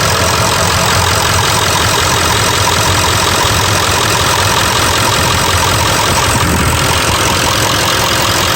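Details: Ford 7.3 Powerstroke diesel just started after fuel filter replacement and fuel system priming, in neutral with parking brake applied: steady, even diesel clatter at idle with no misses or stumbles, loud throughout; a normal smooth idle.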